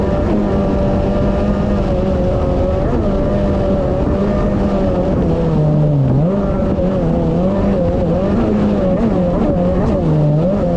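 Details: 2019 Yamaha GP1800R WaveRunner, supercharged 1.8L, test run on the water after supercharger clutch replacement: strong even drone rising and dipping smoothly with throttle, no knocks or rattles; running normally.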